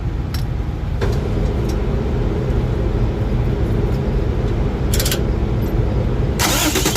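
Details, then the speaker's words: Truck that had lost all power with a black dashboard, reconnected after vibration loosened the connection: brief crank catches straight away into a steady, even low rumble; starts and idles healthy after the fix. "guys so the truck is running everything is good"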